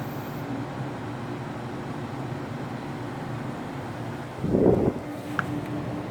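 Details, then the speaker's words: Danby Idylus 12,000 BTU portable air conditioner, first startup of the year in April: steady low hum and even airflow rush, no rattles or knocking; compressor started instantly. Normal running. "i'm about to start it up for the first time so let's go ahead and turn it on compressor started up"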